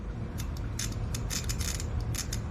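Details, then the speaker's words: 2007 Honda Accord with no turn signals: original flasher relay, replaced by an AutoZone one, bench-tested on a 12 V battery, giving crisp dry clicks in quick bursts; normal flasher relay clicking, relay works. "all right did you hear that the customer said that was the noise before they uh replace the uh the flazer with uh with this one with this one from uh uh autoone all right so we'll check this one if we get any tap tap tap on that one"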